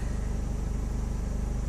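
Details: 2006 Hummer H3 3.5L, after cleaning the mass airflow sensor and throttle body to cure a rough idle: low, even engine pulse at idle with a regular beat and no stumbles or surges; smooth, settled idle.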